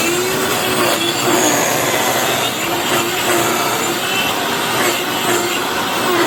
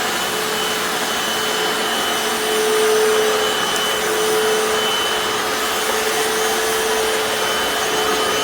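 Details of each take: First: Hoover FloorMate floor scrubber after about 6 months of very light use: rough, scraping whir with a steady high whine on top and no clean hum underneath; owner says the motor bearings have died. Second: Hoover FloorMate Deluxe hard floor scrubber in wash mode on tile, clean tank about one-third vinegar in tap water: steady, even motor hiss with a constant mid-pitched hum, no surging or grinding; normal running.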